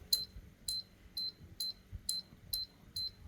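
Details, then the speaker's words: Evaporative air cooler fan that switches on but won't spin, being tested: sharp relay clicks about twice a second as speeds are switched, showing the relay gets power; speed 2 later measures no AC output and is faulty. "Khi mình bật này mình nghe tiếng rơ le là nó đã có điện cấp rơ le đấy."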